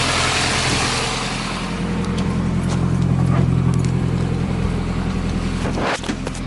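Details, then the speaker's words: Nissan 240SX S13 drift car at idle after a half-inch exhaust hole from a removed EGR fitting was plugged with a bolt and silicone: smooth, even low hum, no puffing or ticking. Normal idle. "alright, ripping all that junk out, because she starts right up. Oh man, this thing frickin' purrs."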